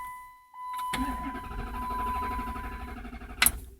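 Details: 2007 Dodge Charger R/T 5.7 Hemi cranks briskly and evenly for about two seconds after the dash chime but never fires; check engine light on, fault began after sitting overnight, now won't start at all.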